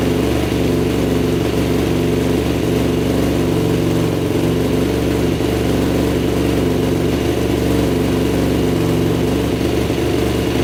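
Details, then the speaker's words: 2006 Yamaha YFZ450 Special Edition quad that smokes heavily and dies when the choke is turned off: slightly uneven, lumpy single-cylinder idle; head gasket confirmed blown, with the head bolts found barely torqued. "yeah it was definitely a head gasket those bolts were barely torqued down"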